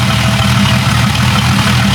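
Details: Jeep 5.0 stroker build with longer pushrods; the engine is not hot, though the coolant boiled without a pressure cap. Smooth, steady idle with an even low rumble and no ticking or tapping; valvetrain quiet and healthy.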